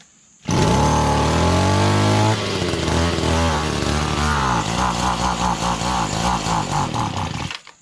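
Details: Echo GT-200B (Kioritz) two-stroke trimmer after recoil starter pull rope repair, no primer bulb, just off full choke: fires on the pull, holds a high buzzing rev, settles to steady even idle; runs fine.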